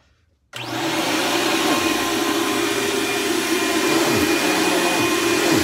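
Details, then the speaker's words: Dirt Devil Ultra Vision Turbo vacuum during a shredded-paper pickup test: loud motor roar with a rough, uneven flutter of about four beats a second; owner says it needs a new belt, worn drive belt. "And I know you guys can hear what this machine sounds like. Yes, I know I need a new belt, but hopefully I will get one soon."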